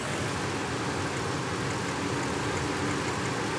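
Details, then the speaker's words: Ford F-150 V8 waste-spark ignition with a misfire despite new coils, at idle: faint, irregular sharp snaps over the rumble from secondary ignition arcing, apparently from a different cylinder than number six, which has a bad spark plug. "Absolutely. That is secondary arcing. I hear it. It's like a different cylinder though."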